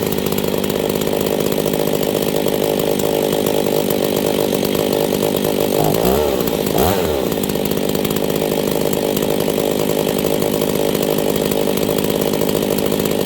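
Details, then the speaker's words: Husqvarna 268 chainsaw running poorly, lean condition diagnosis: high steady two-stroke rev sags and stumbles for a second while the low jet is adjusted leaner, then recovers. Lean bog. "okay so what I'm doing is I'm adjusting the low jet you guys hear that bog"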